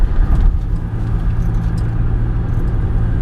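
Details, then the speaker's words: 2005 Buick Terraza on highway after 4T65-E transmission replacement, fourth gear holding without slip: only even low road rumble at speed, previous growling gone, no growl or hum rising with speed. "I got no noise, I just want to point that out, no noise. Other than just normal road noise. All that growling and shit, that's all gone."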